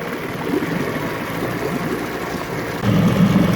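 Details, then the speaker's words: 9.9 HP Johnson two-stroke outboard being revisited after an earlier failure, refitted with a new water pump and carb kit, after a long run, still running strong. A steady, even putter with no misses or surging, a little wind noise. Normal running. "it's been a while. Still running strong. 20 or 30 minutes before it passes my trustworthy test."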